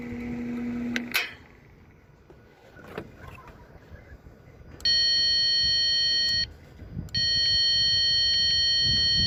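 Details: 2006 Lexus GS350 with no start and no fault codes; key on gives only a steady high chime in two long stretches, with no starter whir or cranking; no-crank from a failed starter motor.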